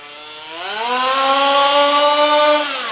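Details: HPI Baja SS rebuilt from an eBay junker, Zenoah G320 two-stroke with V2 Dominator pipe on 91-octane ethanol-free fuel with Bel-ray oil at 32:1, during high-speed needle tuning: revs to a high screaming pitch, holds steady, then falls off; slightly lean, later sorted.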